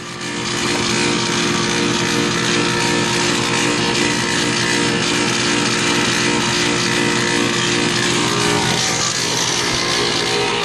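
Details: Harsh, loud continuous roar with a rattly buzz and steady tones, unchanged throughout; sounds like a struggling or bad compressor, cause unconfirmed.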